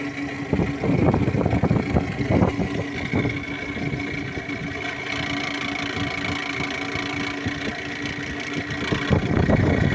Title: Camry 2008 xle bad alternator pulley